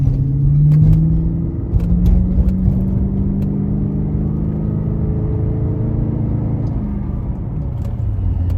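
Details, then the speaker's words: Cadillac STS driving home after replacing spark plugs and coil packs: deep, smooth rumble rising and falling evenly with speed, no misfire stumble or knock; idling perfectly, normal acceleration. "Oh, she's idling perfectly. Perfect timing. Oh man, she sounds so good."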